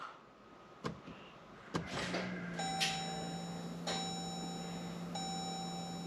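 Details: 2015 Jeep Grand Cherokee EcoDiesel, 130,000 miles, key-on after fuel filter change, key cycled repeatedly to prime before starting: steady low electric hum with a few sharp clicks; fuel pump priming normally.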